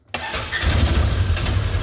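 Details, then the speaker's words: 2016 Polaris Ranger 900 XP, first crank after engine rebuild with coolant filled: short crank, catches and settles to strong even low rumble; no longer smoking like before; a noise from the primary (not engine) noted. "we have ignition yes sir [Music] oh yeah motors running not smoking like before"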